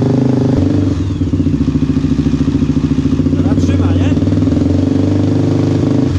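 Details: Honda TRX 400 quad after carburetor adjustment and jet change, no air filter fitted: steady even thumping, no stumbles or surging, holds revs cleanly; healthy running.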